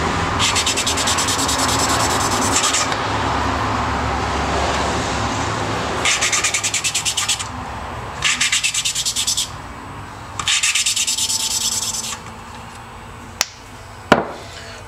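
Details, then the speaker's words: Valve lapping on a rusted, slightly pitted valve and seat: gritty rasping of grinding compound as the valve is spun, smoothing after a few twists, rough again when the valve is raised; normal lapping to clean the seat. "if you listen you can hear the the grittiness of the valve grinding compound it starts to smooth out after a few twists but you raise it and then it gets rough again it's a little more abrasive get the seat clean"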